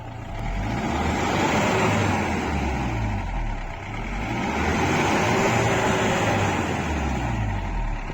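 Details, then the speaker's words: 2013 Mahindra Bolero ZLX diesel, 70,000 km, used-car inspection, heard at the tailpipe: revs up cleanly two or three times and drops back to idle, no knocks, misses or odd noises, no exhaust smoke; healthy free revving. "इसके बाद आपको race देख के check करना है कोई unusual sound engine की तरफ से ना आ रहा हो रेस द बिल्कुल ओके है"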